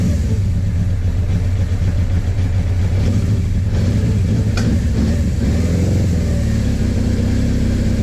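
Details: Suzuki GS850 motorcycle after valve adjustment, fed from a small fuel container: deep, uneven blat that stumbles and hunts on throttle blips; valve ticking gone but runs rough, owner suspects carburetor issues.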